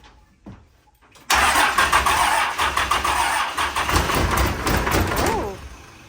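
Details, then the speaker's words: 12-valve Cummins diesel in a Grumman van: quick crank, catches and settles into steady even chug once batteries were fully hooked up for full voltage; healthy start. "I was actually getting ready to let off the key and it started chugging so it sounds a lot better whenever the batteries are hooked up 100%"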